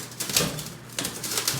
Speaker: without that wheel moving. You can even hear the banging. This axle bearing is completely shot.